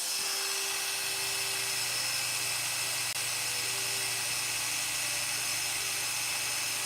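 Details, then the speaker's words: Freshly sharpened barber's clipper blade after snugging up its adjustment to cure a slight noise: smooth, steady high buzz over a constant low hum with no rattle or chatter; much better, cuts like butter; normal running. "Snug it up a little bit. Oh yeah, much better."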